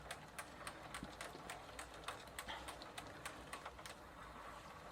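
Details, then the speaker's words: 1990 Gazelle bicycle, Sturmey-Archer AB 3-speed hub after WD40 fix, test ride in third gear; light even ticking about three or four clicks a second as hub shell overruns pawls; third gear now engaging normally, previously not working. "the wheel is currently in third gear and you can hear the balls being overrun by the hub shell not a sound i was familiar to because well third gear wasn't working"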